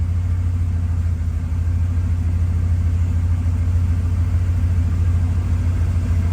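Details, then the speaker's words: 1969 Chevelle SS 396 big block V8, 4-speed Muncie, just fitted with Holley Sniper EFI and Holley breather, cold start idling in neutral: deep steady rumble, even idle, no misses or knocks; ECU still in learning mode, running slightly rich; normal. "still and learn bro still in learning mode but sounds good"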